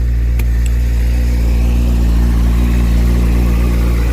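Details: Motorcycle held at steady revs after replacement of a failed, melted cheap Chinese rectifier behind a burnt connector; charging system checks good, wires barely warm. Smooth deep note, even firing, no misses or knocks; normal revving.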